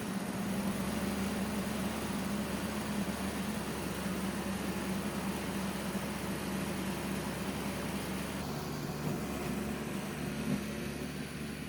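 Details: Old Toro CCR Powerlite snowthrower, small two-stroke, after fixing a carburetor needle installed upside down on the float: choked, primed and running on fuel without starting fluid, a steady even buzz with no stumbling. Normal running.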